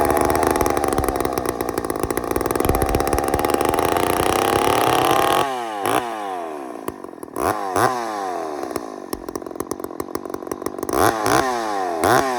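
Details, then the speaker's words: Ported Homelite chainsaw: screams at high revs, then cuts back and re-revs in short bursts. Runs cleaner but a bit louder than before porting, loud and raw; suspected air leaks, air seen being sucked at the fuel line. "And you hear it, too. It's a little bit louder this time. Probably got some uh you know, leaks here."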